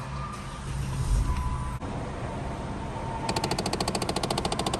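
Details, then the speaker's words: 2012 Dodge Challenger, customer complaint of noise behind the dash: over low blower hum, a rapid steady run of sharp plastic clicks from a faulty blend/mode door actuator; fix is actuator replacement. "so here we got a 2012 Challenger and the customer says that it's making a bad noise from behind the dash from the blend door actuator so let's see what happens here"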